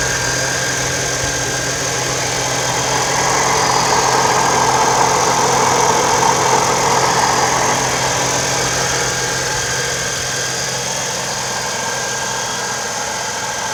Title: 4.0L TRD Supercharger Noise at Idle (at operating temperature)